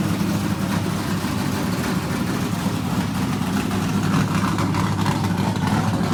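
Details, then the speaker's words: Richard Petty race car, Pontiac-headed small block Chevrolet V8 with new fuel system, first in-car run in years: deep, steady rumble at even idle with no knocks or misses; good oil pressure, running normally. "well that's the first time this thing has run in a long time"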